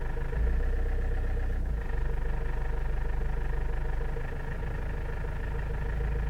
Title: Avensis I strange engine noise at low rpm